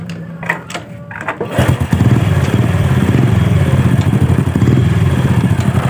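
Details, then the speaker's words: Honda Supra Fit motorcycle with hard gear shifting, clutch slip and low power. It catches after a few cranking bursts, then idles unevenly with a rough knocking beat and a tak-tak-tak as revs drop off the throttle. Mechanic suspects the clutch plates and right-side engine area. "saat turun RPM saat kita turunkan gas di ada suara tak tak tak bisa teman-teman dengarkan nih"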